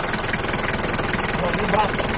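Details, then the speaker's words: Daihatsu Taft Rocky diesel just started, idling with steady, even clatter, a regular beat and no misses or knocks. A blow-by check at the engine showed no smoke, so it is judged healthy. "nah ini dia teman-teman suara mesinnya ya"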